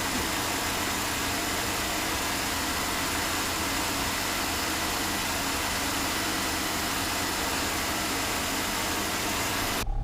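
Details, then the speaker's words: 2005 Chevy Uplander 3.5L V6 after water pump replacement (rattle on startup and coolant drip before): steady, even idle hum with no knocks, ticks or squeals; holds temperature, no overheating or leaks; normal idle. "so now it is good we got that good temperature doesn't overheat nothing's leaking so he's good to go"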